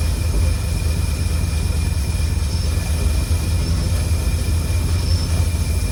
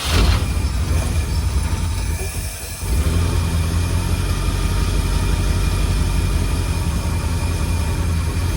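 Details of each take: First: 1952 Cadillac Series 62 barn find V8, revived after sitting for decades, idling after the fuel tank was refilled and the leak fixed: a low, steady idle rumble with no whirring. The earlier whir went away once the generator was oiled. Normal idle. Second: 1952 Cadillac Series 62 barn-find V8, revived after decades of sitting, idling warmed up: an even low idle with a constant whir on top.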